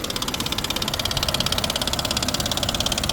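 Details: 2017 Nissan Pathfinder at idle, engine bay: sharp, even ticking at about three a second, clearest up top; cause unconfirmed; fluids look good.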